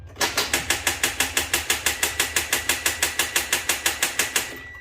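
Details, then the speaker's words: 2009+ Hyundai Genesis 3.8L engine swap with fuel and ignition disconnected for a crank test: fast, even clicking about three times a second, engine never turns; no-crank, newly installed starter suspected. "Right, guys, we got a little problem here. It won't start. You can see we have to diagnose maybe the starter motor that we installed with this. This is exactly the same sound that I had when I had this vehicle."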